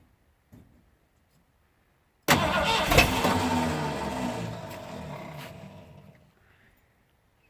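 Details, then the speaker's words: 1979 Ford F-150 Ranger XLT, 351M V8, restoration start attempt; short burst of rapid cranking, three to four beats a second, catches briefly then fades. Starter slipping and not engaging properly, better on a full battery; owner suspects a new starter is needed. "we need to figure out what the problem is with that started it's not engaging properly it works better on a full battery"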